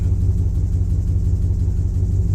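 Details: 2007 Chevrolet Silverado 5.3 at idle: deep rumble with an uneven, lumpy pulse that stumbles every so often, a misfire of unknown cause still being chased after a loose oil pressure sensor plug was fixed.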